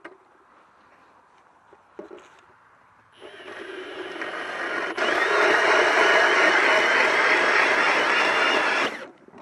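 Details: Ridgid 18V hammer drill (750 in-lb torque) driving a 6-inch Swede-Bore hand ice auger via drill adapter, boring a hole in ice; steady high buzzing whir with even cutting rasp under load, working normally.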